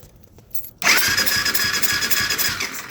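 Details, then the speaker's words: 2008 Kawasaki KFX450R with a starting issue, spark plug removed: starter spins engine quickly and evenly with no compression drag; cranks fine without plug, owner suspects the decompression isn't releasing; it does get spark. "I'm gonna take this out and show you what it does without the plug-in. It turns over perfectly fine, like it should when it's in."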